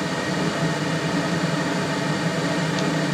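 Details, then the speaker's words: Hydrotherm boiler (mid-1970s) burner fired with flame guard and all covers removed: steady, even roar with hollow airy rush, no pulsing; excess air entering through open covers makes it noisier. Basement zone circulator just replaced with new Taco pump. "obviously cuz all the covers are off too much air is getting in there but that's it so that's all the noise that this ends up making"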